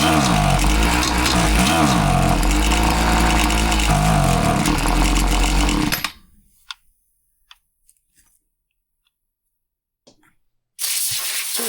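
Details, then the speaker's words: Husqvarna 525PT5S two-stroke pole saw with a bad bog despite a carb refresh, clean cylinder, plug refitted and good foam filter; it drones at one flat speed without climbing, then dies away: bogs and won't rev up. "it has a massive bog and won't rev up."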